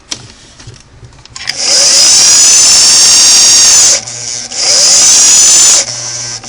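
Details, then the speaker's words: Vintage Singer sewing machine after internal motor belt replacement, belt set as slack as possible: high steady motor whine cuts out and returns to speed with no slip or squeal on the pulley. "let's listen to it now and see if I can get the full motor run"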